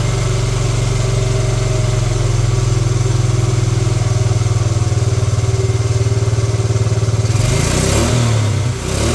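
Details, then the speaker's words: 1986 Honda TRX70 single-cylinder, first start in years, fuel leaking; steady even low putter, regular beat, no misses, brief blip; runs fine, needs air-fuel mixture screw tuning. "nice all right well there we have it it actually runs"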